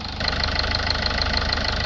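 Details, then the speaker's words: Toyota Auris 1.4 D4D diesel with engine management light, P2463 DPF restriction, idling during DPF cleaning with fluid injected at 130 psi: even diesel clatter with light regular tick over steady low rumble, no knock or misfire; normal diesel idle. "Engine sounds nice on this. Sounds like a proper diesel."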